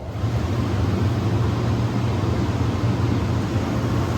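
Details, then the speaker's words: Aldonex T-418-4CRF-CCV 400 A, 0–18 V air-cooled rectifier, 480 V 3-phase input, remote ramp controls, tested in good working condition: even rush of cooling air over a low constant hum, no knocks or rattles; very quiet, normal running. "Very nice quiet unit."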